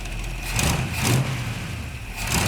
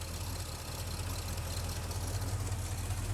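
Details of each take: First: 1975 Chevy C10 V8 at first start, timing just set, oil not yet changed: low, steady, even idle with no misses or knocks; a plug weeps, and the idler pulley freed up and turns without noise. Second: 1975 Chevy C10 V8 after intake work, oil not yet changed, warming up, 50 psi oil pressure: low idle with uneven lumpy beat like a cylinder dropping out, shaking, heavy smoke on throttle; suspected miss, unconfirmed.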